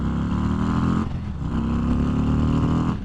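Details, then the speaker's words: 2022 Harley-Davidson Street Glide ST, riding on a short straight with the Heavy Breather intake, kept at higher RPM: deep, throaty V-twin pull rising and falling with throttle, strong low intake honk, no knocks or rattles; normal. "hopefully you guys can really hear that intake on this motorcycle like I can. It really honks in air, and that is super cool."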